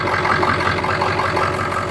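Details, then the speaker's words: Ford 7.3 Powerstroke diesel after a cold start, a little blue smoke at first: a steady, even idle with smooth rhythmic clatter and no knocks or misses; little blow-by, only condensation and no crankcase pressure; healthy. "Doesn't have a bunch of blow by. 7.3 Powerstrokes, there's always a little bit of condensation that comes out, but there's no pressure."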